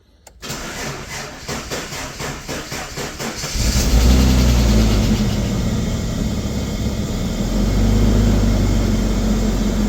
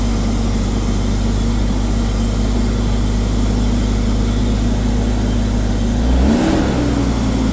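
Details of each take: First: Ford Falcon XR6, first start since brake work: starter drags slowly and unevenly, about four labored turns a second for three seconds, before firing; weak battery. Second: Ford Falcon XR6, first start since Welch plug and brake work: steady, smooth engine drone with a brief rev, no knocks or ticks; water pump sounds unhappy, probably from no water; normal running.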